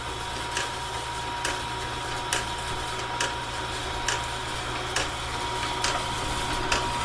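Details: Heavy-duty sawmill bandsaw blade sharpener running at fast feed speed, grinding 2-inch-wide blades: steady motor hum with a light, even click slightly over once a second from the feed; smooth running, no grinding or knocking.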